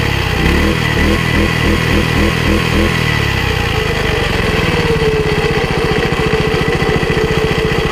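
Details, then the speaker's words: Laplosh single-cylinder tiller: uneven chugging that settles into a faster, wandering idle. It stalls when the tines go into wet soil. Owner suspects the carburetor or choke settings, not confirmed. "но когда фрезы опускаются в землю он почему-то глохнет То есть вероятнее всего требуются Какие Ну настройки карбюратора либо заслонки"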